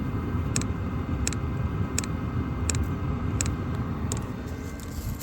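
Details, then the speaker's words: HCALORY 8kW diesel heater running on low from a 12 V 300 Ah battery. Steady, sharp fuel pump ticks about every 0.7 s over a low rumble; normal pump pulsing. "You can hear the fuel pump ticking away."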